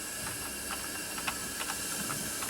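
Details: Lexus RX 330 3MZ-FE with rough running and oily valves, leak-down test with engine off: steady airy hiss as air pushed into the cylinder escapes past worn rings; cylinder won't hold pressure.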